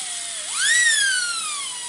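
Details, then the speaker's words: Slot car after a motor change, powered from a power supply by crocodile clips: high whine climbs sharply on spin-up then sags, with a faint gritty edge from rough gear mesh between pinion and angled crown gear. "no matter what you do it will always have that horrible sound on the gears and this is how you get rid of it"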